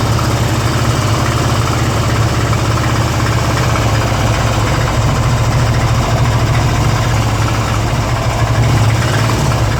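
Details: 2002 Harley-Davidson Ultra EFI Twin Cam at idle: loping V-twin idle with a heavy low thump and faint irregular clatter on top; strange engine noise, owner cannot identify the cause.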